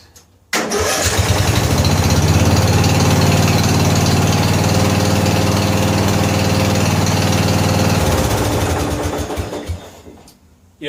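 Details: 14 HP Briggs & Stratton single-cylinder engine in a free Murray riding mower, carburetor flooding, oil smelling of gas: catches and runs at a steady, even beat with no misses, then shuts down; little backfire possibly from gas in the exhaust.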